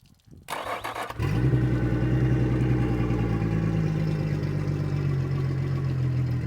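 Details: 2003 Yamaha 225 four-stroke outboard, previously wouldn't run with low compression on two cylinders, after fuel flush with fresh fuel and water flowing: brief crank, catches at once, smooth even idle with no misfire.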